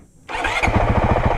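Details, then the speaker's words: 2023 Honda CRF450X after thermostat delete kit, hot start after trail riding, almost at operating temperature: catches almost at once and settles into an even, steady single-cylinder thump; clean, normal hot start. "She's almost up to operating temperature. Not quite, but let's see how she starts when she's hot."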